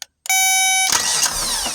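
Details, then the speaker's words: Kubota B26 tractor with no-start, starter signal wire unplugged and voltage applied directly by probe: short tone then steady whirring crank with no grinding or clicking; starter fine, fault likely a safety switch. "So, I know the starter's fine."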